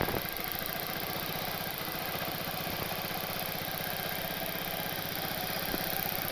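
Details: Honda Vario Techno (Vartech) scooter after refitting the repainted original exhaust with tightened bolts: quick, even putter at idle with steady beats, no puffing or ticking at the pipe joint; no exhaust leak, normal idle.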